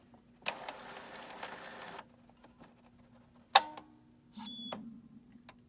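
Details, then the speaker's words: Epson printer with 0xEA error and screaming sound, encoder strip cleaned, mainboard suspected burned by power surge: paper feed motor whirs smoothly about 1.5 s, then clicks and short buzz, no grinding; feed motor okay. "And now you can hear the lock is working. And the printer can go all the way to the left. And now to the right. Page motor, page field motor is okay."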